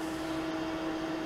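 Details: Home ventilator fitted with add-on open-circuit alarm: continuous steady mid-pitched electronic tone with no breaks, sounding when the ventilator is shut down, since the built-in alarm had failed. Ventilator stopped alarm.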